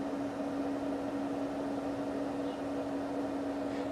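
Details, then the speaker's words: Autoterm Air 2D diesel heater in a 1988 Mercedes 310 T1 van, running and blowing about 60–70 degree air within three minutes: a quiet, constant mid-pitched blower hum with a soft airy whoosh; normal running. "and yeah i would say the noise is quite restrained"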